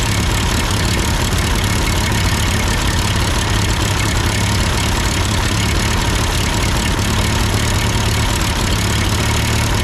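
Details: Ford 8N tractor idling after an amateur adjustment of the carburetor: even, constant-speed low rumble with no hunting or stalling; sounds good, normal idle.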